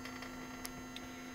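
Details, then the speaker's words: Bench test of a cleaned and rewired non-ASR throttle actuator from a 1995 Mercedes S320: after the reset jump, it holds the plate at idle with a steady metallic electrical buzz and light clicks; energized and working normally. "now if I press on the plate it keeps it in one idle position what it has to be and this is our metallic noise"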